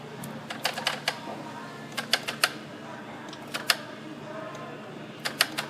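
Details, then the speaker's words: 2010 Ford Focus, no crank no start with theft light blinking, not battery related: loosening painted 8 mm engine ground with key on gives irregular clusters of sharp relay clicks as modules cycle; fix is sanding paint off ground surface. "And we're going to loosen this with a key on still and this connector fully connected. And we're going to see if all of a sudden that it starts cycling."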